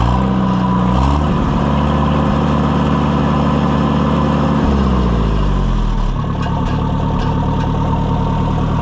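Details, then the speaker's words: Oliver 550 tractor after a complete tune-up with new coils: steady, even idle that settles smoothly, no misses or knocks, running much better; a push rod is heard vibrating. Normal idle. "What a sweetheart. Listen to that thing. Fur much, much better."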